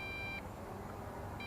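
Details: Bugs 3 drone on an optional 2300 mAh battery, flying outdoors: the transmitter gives two short high-pitched beeps about a second apart while the drone lights all blink, a low-battery warning.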